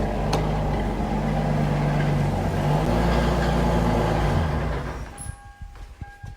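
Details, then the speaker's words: 2002 Lexus IS300 with a single-turbo 2JZ-GTE VVTi and 5-speed manual, after a third-gear boosted pull where it popped at about 5000 rpm and barely moves: at shut-off a thin high whistle and scattered clatter linger. Abnormal noise. "this it ain't supposed to sound like that"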